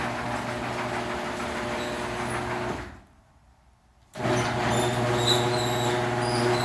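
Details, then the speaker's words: Genie screw-drive garage door opener after greasing the screw rail with low-temperature grease: even, low motor hum with a brief pause, then steady again, with no grinding or squeal; normal, quiet operation. "okay so now you got a nice lubricated rail let's go back to the button over here [Music] much different now we can talk and you don't hear"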